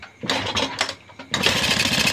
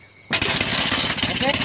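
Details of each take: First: Motorcycle being reassembled after burning, new coil fitted, fuel added, kickstarting: repeated rough rattling churns with short sputters that never catch to idle; owner suspects too little fuel. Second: Burned motorcycle reassembled, more fuel added, yellow pulser wire disconnected and black joined to black for testing: after a quiet moment engine catches abruptly and keeps running, raspy and slightly uneven; it starts.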